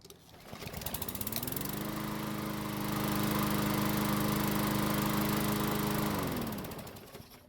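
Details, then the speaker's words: Craftsman mower, formerly a non-starter, hot restart after about 5 minutes running near operating temperature: fires right up, climbs to a steady even buzz and winds down cleanly; easy hot start suggests valve clearances are close to spec. "So it started back up with no problems whatsoever, which is great news. What that means is that more than likely the valve clearances are close to where they need to be."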